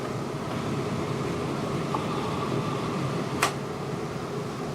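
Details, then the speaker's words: New Furrion Chill 14.5K BTU rooftop RV air conditioner, replacing a 12-year-old Coleman Mach 3, running fan only: steady even air whoosh with faint low hum, no rattles or squeals; healthy. "we go so that's just fan let's turn on the actual cooling here"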